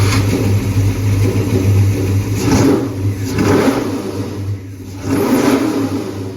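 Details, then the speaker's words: 1965 Plymouth Barracuda, LA 360 with Magnum heads, Sniper EFI on RPM Air Gap intake, Tremec TKX: revving and settling with uneven, lumpy beat and irregular throttle response; rough running blamed on unfinished tune; fuel pump later died. "the tune here is another thing we'll have to get to later it's a work in progress that's okay man this car sounds good or did until the fuel pump died"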